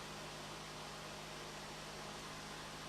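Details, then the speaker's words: 1964 Emerson-made Craftsman stick/arc welder first powered up during restoration; the cooling fan starts a little stiff, then with oil reaching it runs as a steady rush of air and low hum with no scraping, moving a lot of air. Normal fan running. "wow, that moves actually a lot of air."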